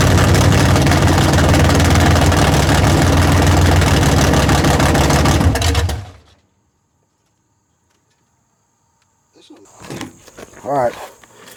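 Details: Big-block V8 after tunnel ram swap, first fire-up with coolant added, timing not yet set: fires straight up into loud, steady, even lope before shutting off; healthy start and normal idle.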